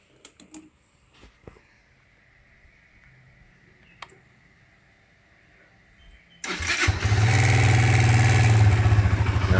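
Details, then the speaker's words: Modenas Z15GT under warranty, after top-end ticking was fixed: near silence, then engine catches and settles into smooth, even idle; earlier rapid tapping clatter now gone, quiet as when new. "Lepas tu sekarang alhamdulillah enjin dah bunyi senyap normal macam sebelum ni."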